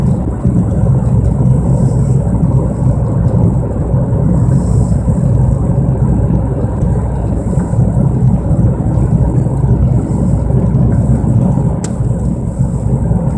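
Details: 1997 Mercury Mystique while driving: heavy low droning roar starting on acceleration and growing louder with speed; owner suspects wheel bearing or rotors, unconfirmed.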